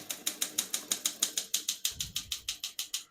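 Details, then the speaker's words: 1961 Olympia SM7 manual portable typewriter, serviced, single line spacing: crisp, even keystrikes about three per second with some carriage movement, no keys skipping or sticking; working as it should. "all the keys type nice and none of them skip or stick."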